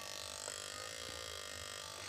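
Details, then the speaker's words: PDC Poliwang-type fish shocker (inverter code S58000H) in an aluminium/iron box: steady, harsh electrical buzz with a shrill high edge from the vibrating inverter coil, loud when used for fishing. "di mana suara yang dihasilkan oleh alat setrum ikan PDC ini cukup berisik saat digunakan untuk memancing."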